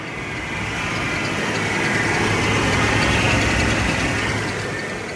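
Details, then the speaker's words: 1996 Ford F-150, inline-six, two-wheel drive, after a faulty switch was found and the battery reconnected: steady, even idle with a smooth pulse of about four beats per second, no misses or knocks; fuel pump working, running healthy. "Truck is now running. Fuel pump is doing good."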